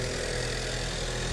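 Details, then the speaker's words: 2019 Ford Escape, just over 100,000 miles, started after fixing a loose spark plug that caused a cylinder 3 misfire, codes cleared: smooth, even idle with no stumble or miss. Normal idle. "Alright, let's fire this hog up, see how she sounds. Purrs like a kitten."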